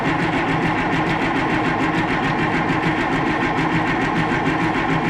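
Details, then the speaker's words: Oliver tractor diesel with air in the fuel system after the filter was cracked open: steady starter churn about four even beats a second and never fires; air prevents injector opening pressure (about 1800 PSI), slow to start. "I did get air out of there when I cracked that open so there was definitely air in the system"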